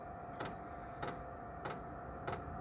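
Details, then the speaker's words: Diesel air heater heating a home, recorded outside after start-up: sharp ticks about every 0.6 seconds from the diesel dosing pump over a steady fan hum and burner roar. Normal fuel pump ticking. "There you go. That's the pump ticking."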